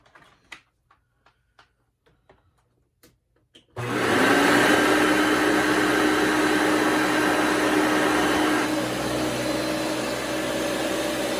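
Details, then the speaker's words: Hoover Elite vacuum switched on right after its fan was replaced, to check it works. Motor spins up to a loud, steady roar with a thin high squeak riding on top, from the brush roller. Brush roller squeak. "that brush roller does have a little squeak to it, but anyway, as you can see, it's not too hard of a job to do."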